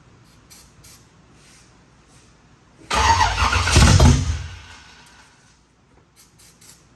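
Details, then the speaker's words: Freshly built 355 in a 1974 Camaro, first fire-up after timing tinkering, carburetor, starter fluid: engine catches with sudden loud rattly clatter fading within two seconds, 1.6 rocker arms not yet full of oil; valve train clatter on first start. "the motor fires up loud loud clattering noise we're sitting here pooping our pants because we didn't know what that was"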